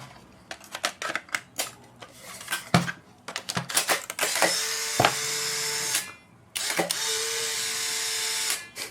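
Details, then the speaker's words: New Mabuchi FK-130SH-16140 high-RPM replacement motor for a Polaroid SX-70: a few light clicks, then two smooth, even whirs of about two seconds each that stop cleanly. "There we go. Works like a charm. Super smooth, super quiet, great modern replacement motor."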